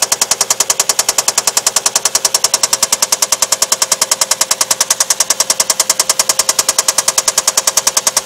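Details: Infiniti VQ35DE V6 engine. Loud, sharp metallic knock repeating evenly about two and a half times a second over the engine; rod knock from a spun bearing.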